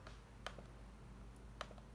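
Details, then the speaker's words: Lenovo Y50-70 laptop touchpad after the fix with three tape layers restored the tactile click: two light, crisp clicks about a second apart in a quiet room, left click and drag working; normal touchpad click. "it works so i can do the left click as well and drag"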